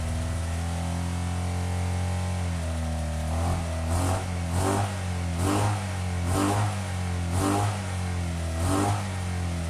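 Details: 1985 Honda VF700F V4, first start in at least five years after carburetor rebuild and new pulse generators: fires up into a fast, steady idle with rhythmic surges, held high because throttle plates were left open after sync. High idle.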